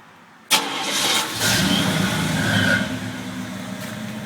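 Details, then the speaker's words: Chevy C10 V8 with Flowmaster 70 series muffler and electric fans, at start-up: fires into lumpy idle with faint thin supercharger-like whine; owner says alternator has been whining, unconfirmed. "I don't know if y'all heard that whine right there, but my alternator's been whining. Sounds like a supercharger."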